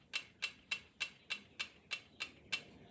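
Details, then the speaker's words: 1972 Triumph TR6 650 five-speed, whose left cylinder runs hot and sounds odd on revving. Locked at top dead centre, the rockers are worked by hand and give crisp, even light metallic taps: correct valve clearance. "That sounds like 2 and 4. I mean, straight up, that sounds really good."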